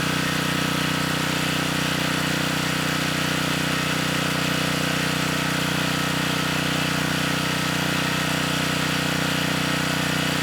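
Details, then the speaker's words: 3500-watt Generac generator (model 01313-0, GN220 engine), bought non-running status unknown, running unloaded while governor speed is adjusted; steady single-cylinder drone with even beat, speed off target, later set to just over 61.5 Hz at 121 volts no-load. "this time when it's running I am going to try to adjust the speed you know we should have enough time to do that at least get it closer to where it should be"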